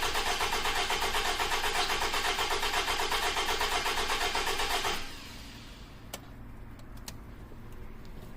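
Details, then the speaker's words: 2009 Toyota RAV4 2.5 cranking, pressure transducer in cylinder 3, amp clamp on starter: about four beats a second, slightly uneven; intake pressure rises with cylinder pressure, confirming a leaking intake valve; oil consumption, engine needs replacing. "you can see when the pressure comes up boom at that the intake pressure rises at the exact same time that's confirmed intake valve leak"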